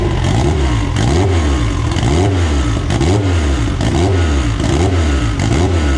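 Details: AWD EG build first start on a borrowed 2000cc-injector tune: catches and revs up crisply in repeated clean, even blips, no knocks or misses; runs healthy.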